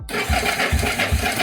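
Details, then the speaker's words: Yamaha SR250 SE motorcycle, not run since about 2011, cranked on the starter with no ignition coil and no fuel: strong even exhaust puffs about every 0.4 s; good compression, engine not seized. "donc on entend bien que le démarreur fait tourner le moteur génère de la compression et du coup la compression s'évacu par l'échappement"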